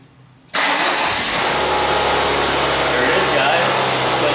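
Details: Ford Escort 1.9 after repairing inoperative starting circuit (clutch safety switch, starter control wire reconnected): silence, then engine catches at once with clutch pressed and settles into steady even run; starting system now normal.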